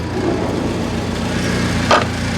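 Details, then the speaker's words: BMW E30 that sat 16 years, new intake boot fitted, in neutral: quiet, even, smooth low idle with no misses, ticks or knocks; tach not working from a blown fuse; normal idle. "the car is running really well it's very quiet and the RPM sounds good and it just is idling really really well"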